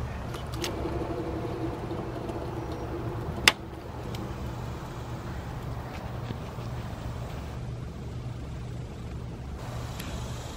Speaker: okay this is what you'll hear for the alternator bearings it's kind of grindy a little bit loud it's on the inside of the alternator and it's not good